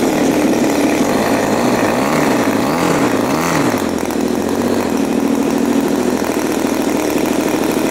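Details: New Turnigy TP31-T 31cc twin gas engine (CD ignition, Walbro carb, 3.7 HP at 8500 rpm), first run in a cold room after the choke comes off: a buzzy, even beat with a brief wavering rise and fall in revs, then steady, a clean and healthy low speed.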